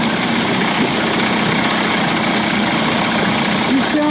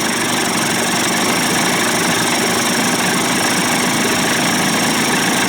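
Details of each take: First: Johnson Evinrude 25-to-35 hp two-stroke outboard conversion, after low-speed timing sync and fuel pump/bypass cover swap, idle speed set a little higher: steady, even idle with no misses or knocks, held a touch high; healthy, runs fine. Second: Johnson Evinrude 25-to-35 hp two-stroke outboard conversion, after fuel pump/bypass cover swap; primer bulb had emptied, loose mounting screws tightened, no leak: idle slightly uneven and labouring, seems to struggle a little, cause unclear; idle later raised.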